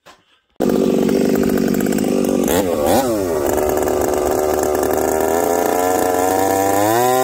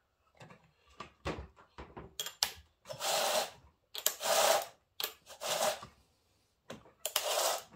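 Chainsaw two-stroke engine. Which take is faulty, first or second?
first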